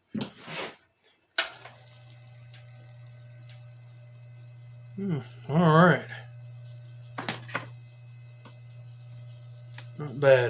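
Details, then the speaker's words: Wizard 6JC3020 box fan motor after clean and service, motor resistance good, run at low speed before refitting blade: low steady hum with no grinding or squeal, only handling knocks; no bearing noise. "no bearing noise it's the low speed okay awesome great"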